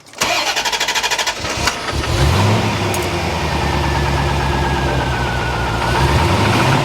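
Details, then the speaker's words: Barn-find C4 Corvette ZR-1 after an ECM repair, battery confirmed tight: after cranking it fires into a slightly uneven, wavering idle, not as smooth as before; it seems the same fault as before, cause unconfirmed. "yeah that's not as smooth as it was no definitely not"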